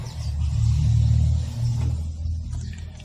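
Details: 1989/90 Chevrolet Monza SL/E after replacing camshaft, rocker cage, rockers and hydraulic lifters for top-end noise: smooth low rumble through a short rev with no ticking or clatter; noise solved, engine healthy.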